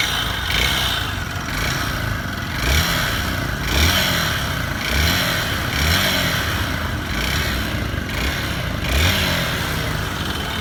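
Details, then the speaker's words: Honda Bros 150 engine, already smoking and knocking despite topped-up oil: blipped about once a second with a clattering knock over each rev; worn internals, engine being dismantled. "Olha o barulho do motor. Todo um pouco óleo, ó. Colocou o óleo, mas tá com isso batido."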